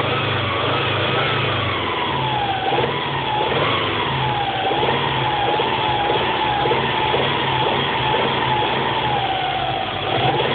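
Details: Subaru EJ22T block with EJ25D heads, 470,000 km on bores and pistons, new standard bearings and rings 50 km earlier: a hollow rhythmic knock when warm, barely there cold; excessive piston slap, later fixed by rebuild.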